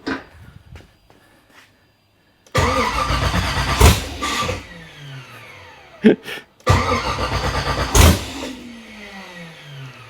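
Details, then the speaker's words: Nissan 240SX with an LS (LM4) swap on its first start attempt, 43 psi fuel pressure: two long starter cranking bursts winding down, never catching. There is no throttle bracket yet, so no gas can be given while cranking; the owner feels it just needs gas. "I wish I could crank it and give it gas at the same time."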